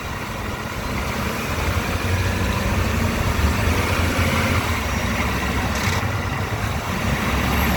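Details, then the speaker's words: 2018 Ford F-150 5.0 V8, 10-speed, 4x4, cold start after sitting overnight: deep V8 rumble under load with a loud ratcheting rattle each time the throttle is released. The dealer can't find the cause; the owner also suspects piston slap. Present since 9k miles. "When I take my foot off the gas pedal, it makes a ratcheting sound. Ford can't figure out what it is."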